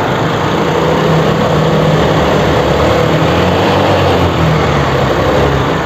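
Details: TVS Scooty Pep+ after a no-spark-at-plug fix (rewired relay negative and CDI plug wire): the engine ticks over at a steady, even idle under some rough background noise. It starts and runs cleanly.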